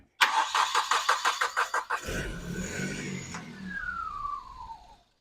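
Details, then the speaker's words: 1995 Nissan Pulsar N15 cranking with gauge reading no fuel despite about 3/4 tank plus 10 litres added: about three even starter beats a second, brief ragged catch that dies; fuel problem, owner suspects failed fuel pump. "We definitely know it's a fuel problem. I'm going to guess fuel pump cuz I swear there was a 3/4 of a tank of fuel in that thing and I just put another 10 lers in it and it's still saying no."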